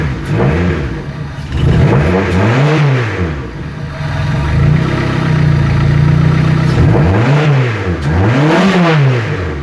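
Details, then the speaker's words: EJ8 Civic D16 with an eBay turbo build, just assembled, no muffler; loud open exhaust rises and falls smoothly through repeated blips with a steady idle between them and no misfire or knock. It revs normally. "I need a muffle that sounds pretty good"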